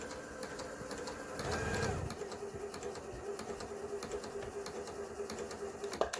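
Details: Kenmore 385-19550 sewing machine after repair (twisted part had pushed the shaft out of alignment; wrong pattern stitches and speed control fixed), speed adjustment screw centred: light, even stitching patter at steady pace, no grinding or knocking; runs smoothly.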